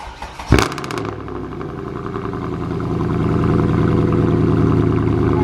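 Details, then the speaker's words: Salvage Mercedes C63 AMG V8 cold start, not revved because cold: quick crank, then a deep, loud, burbling cold idle that smooths out. Normal start; engine seems okay. "But yeah, it is so loud, it is unreal. Now, yeah, so the engine seems to be okay."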